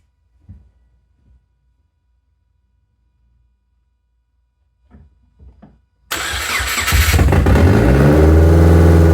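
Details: 2006 Subaru Forester after new AutoShack exhaust manifold install and tightening bad positive battery cable bolts; after a quiet stretch engine catches at once and settles into steady even idle, no ticks or leaks; normal start and idle.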